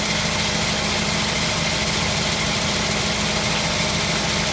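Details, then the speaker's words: 1952 Ford F1 flathead, cold start after sitting 7 days, rebuilt carburetor and new spark plugs: even steady idle with soft regular pulse, no knocks or misses, running smoothly; normal idle. "Hear that nice flathead sound is what we're listening to."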